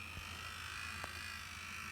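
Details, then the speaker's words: Bachmann BNSF GP40-2 locomotive from a Rail Chief set, under power: steady high motor whine, low hum and faint click with creaking; quiet with the body off, creaky with the body on. "It's still making that noise. Ooh. Yeah, that noise doesn't sound very happy."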